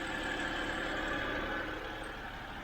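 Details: 2007 BMW 328i E90 after new electric water pump, thermostat and reservoir, warming up: quiet, steady low idle with a faint even whirr, no knocks or ticks; settles smoothly, sounds healthy.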